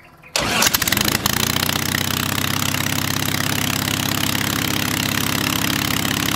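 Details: Hummel Engines 45 hp half-VW aero engine, first start, oil pressure too high, idle possibly set a little low: cranks, catches quickly, then settles into an even, steady beat with no misses; runs smooth, normal.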